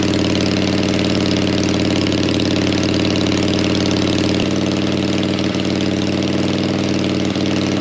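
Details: Harley V-twin, likely the XLCH just refitted with its gas tank, low on fuel: even, loping idle at a steady beat, no knocks or misses, settling slightly midway; engine sounds healthy.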